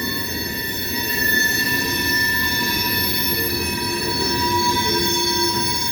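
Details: Wheel flanges of passing coal-train cars squeal as a steady high-pitched singing over the rolling rumble, on rails hot in 90°F-plus heat. The heat expands the metal and tightens the gauge, so the flanges rub the gauge face of the railhead.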